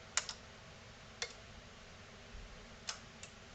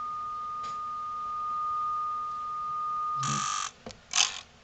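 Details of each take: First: NAD C370 amplifier during repair: a few crisp, isolated clicks about a second apart on a quiet background; speaker output relays now switching normally, though the speaker A light stays off. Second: NAD C370 amplifier, test tone: it holds, then cuts out abruptly with crackly clicks as the speaker protection relays chatter off. A hot, shriveled capacitor on the protection module is suspected. Protection relay chatter.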